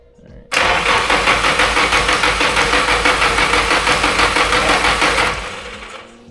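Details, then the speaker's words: Nissan SR32 build on a Link ECU: about five seconds of steady, even cranking at roughly three beats a second with no firing; fuel pressure dropped, no injector clicks heard; cranks, no start. "So the only thing that I'm noticing is, like, I feel like I don't hear any motorcycle. The fuel pressure lowered. Like, the fuel pressure lowered and I didn't hear any clicks."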